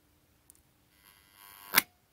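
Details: No Volt Relay (workshop safety switch) powering a test lamp: with start pressed and stop pressed very gently, the partly lifted AC magnet armature gives a faint, bright electrical buzz for under a second, then stops with a sharp click.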